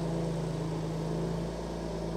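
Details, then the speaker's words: BMW M2 Clubsport, first start after engine rebuild and reinstall, exhaust on: smooth, steady low hum holding one even pitch, no ticking or misfire; owner says she's purring. Normal idle. "wow that is so so cool the baby is alive she's purring she's purring Happy Happy Days"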